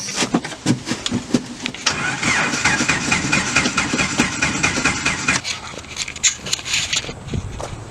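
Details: 1995 Jeep Wrangler YJ four-cylinder with a substitute used ignition coil fitted: uneven bursts of starter cranking, turning over repeatedly without firing; crank, no start.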